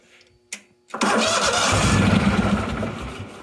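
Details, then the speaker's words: Neglected 1998 Yazoo YTKC22 three-wheel mower with a possibly weak 3-year-old battery, on charger boost: a sharp click, then the engine catches on starting fluid and runs roughly for a couple of seconds before dying. "that sounds like progress I think we might have done something right"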